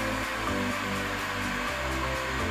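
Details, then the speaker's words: Samsung UA32N4003AKPXD LED TV: loud steady static hiss swamps the sound with faint music barely underneath, attributed to a wrong analog sound system setting. "Seperti ini guys ya bunyinya. Suaranya berisik sekali, bising, tidak jelas."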